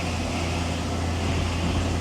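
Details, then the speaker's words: 1999 Chevrolet C1500 Suburban 5.7L 350 small-block V8, in gear power-braking, deep loaded drone with shaky uneven pulse; P0300 with misfire counts on cylinders 2, 3, 6 that stop rising: engine misfire under load. "It's getting shaky. But now my misfire counts are not picking up."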